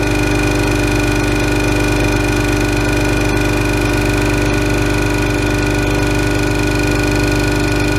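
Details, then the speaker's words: 5 HP single-stage twin-cylinder 60-gallon compressor for a CNC plasma air system, started at about 50 psi tank pressure: loud, steady pumping drone with an even rapid beat and constant tone, no knocks; filling the tank normally. "tank pressure is about 50 psi so we won't be filling the entire tank it's been turned off so we'll go ahead and turn it on"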